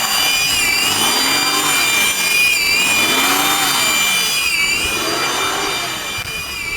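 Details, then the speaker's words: 2000 Acura TL at idle after knock sensor replacement with intake plenum removed and refitted; high-pitched whistle from the AC compressor side as idle hunts about every 1.5 seconds; owner suspects a broken vacuum hose elbow, unconfirmed. "there's a high-pitched whistling and that's where it starts to surge"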